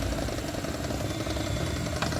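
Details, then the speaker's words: Usha mixer grinder, 230 V AC 750 W, running: rough loud motor with uneven knocking thak-thak rattle as speed varies; worn internal bush and shaft, needs bush repair. "এই যে আওয়াজটা হচ্ছে, ভিতরে একটা ঠক ঠক ঠক ঠক করে আওয়াজটা হচ্ছে, তার মানে এটা যে ঘুরছে স্পিডটা কম বেশি হচ্ছে, কিন্তু সেই যে একটা ঠক ঠক করে ভিতরে একটা আওয়াজ, সেটা কিন্তু আছে।"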